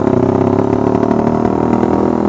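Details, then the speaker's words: Suzuki Satria Fi150 with an anti-stutter cable connected, held at 1,000-2,000 rpm in first gear: an even, steady note with no stumbling or popping, running smoothly. "oke ini sih enggak ada sendet-sendetan enggak ada breerebet-breerebetan sahabat ya"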